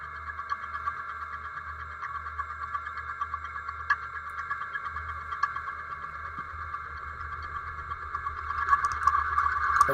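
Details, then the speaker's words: Milling machine at 200 RPM, feeding 2 inches per minute, 3/8 inch deep slot cut with the vise tightened: steady high-pitched cutting hum growing louder and rougher as the cutter bites new metal; slight chatter, acceptable. "there you can hear the change. You can see the chips coming off. And there's the end of the cut. So I did get some vibration. It wasn't bad."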